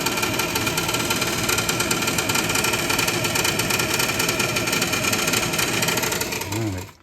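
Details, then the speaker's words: Tankless water heater draft inducer motor running with a loud, rough whirring, rattly buzz and steady high-pitched hum, sounding ready to come apart; failing draft inducer, needs replacement. "this thing's about to sounds like it's about to come right off there yeah"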